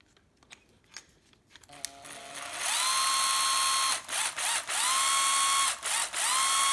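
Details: Makita 12V drill-driver, bare tool: crisp motor whine climbing quickly to a steady high pitch on each trigger pull, cutting off cleanly; runs very strong and healthy.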